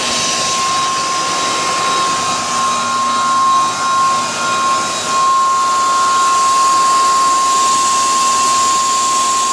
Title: 2001 cadillac deville screeching noise at startup?